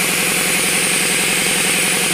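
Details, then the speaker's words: RamAir air compressor that had buzzed and popped the breaker until the shaft was turned by hand, now running: steady motor chugging under a loud continuous hiss of air escaping around the regulator shaft; air leak at the regulator. "again it's squeezing all the air around the [Music] shaft and with it not running you could hear it really dushing out"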